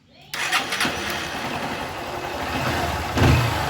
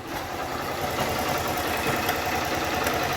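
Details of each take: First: Honda Start 160 motorcycle after fitting a new part: starts cleanly and settles into an even idle with a few throttle blips, and the noise is gone. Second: Honda Start 160 motorcycle at idle before repair: quick, uneven metallic "tre tre tre" rattle riding over the engine, about three to four a second, from a worn cam chain tensioner; fixed at home by replacing and adjusting the tensioner.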